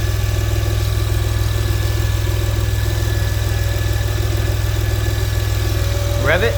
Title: Whining noise from serpentine area. (Fixed!)